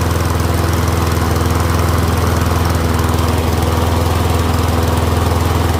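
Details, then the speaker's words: Troy-Bilt Briggs & Stratton rear-wheel-drive mower after ultrasonic carb clean, warmed up, checking self-propel; even steady single-cylinder chug at about three and a half pulses a second, no stumbles or knocks; running healthy. "Seems to be running pretty good though. I'll check if the self-propel works."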